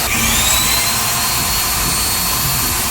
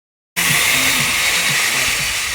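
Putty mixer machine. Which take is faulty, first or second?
second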